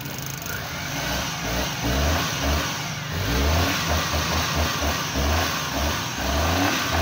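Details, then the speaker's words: Suzuki Mehran after the distributor clips and coil wire were cleaned and refitted to cure missing current and distributor noise: catches and settles into an even petrol beat with light throttle blips, with no distributor shaft rattle now. "इंशाल्लाह य okay हो जाएगा अभी start हो गई है र से हा सल स्टार्ट"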